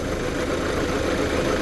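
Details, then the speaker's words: Hyundai Santa Fe CM diesel, restarted after new accessory belt fitted: idle with steady gravelly grinding from belt-driven accessories, quieter than before but still present; alternator suspected then ruled out, found to be power steering pump. "아 , 아직도 소리 가 나 는 것 같네 요 . 결국 엔 발전기도 손봐야 할 것 같네"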